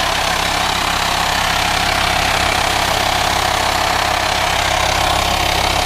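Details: VW Transporter T5 LWB T32 2.5 diesel 6-speed camper van idling: a steady loud hiss over a soft even idle, like air being drawn in; owner suspects a vacuum leak in the engine bay, not a pulley (no auxiliary belt); unconfirmed.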